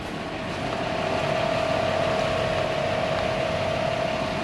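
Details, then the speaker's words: 2003 Toyota Sequoia rolling on the road, driven by a second person, with the noise traced to the rear: steady mid-pitched hum over road and wind noise from a worn rear brake rotor, due for replacement. "okay yeah it's a back rotor okay now we've identified it with two people"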